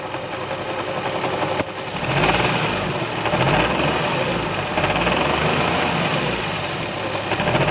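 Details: Nissan 350Z with 1JZ engine swap idling with the clutch pedal not pressed (engaged): a loose, uneven rattle and buzzing vibration over the steady idle, from the transmission.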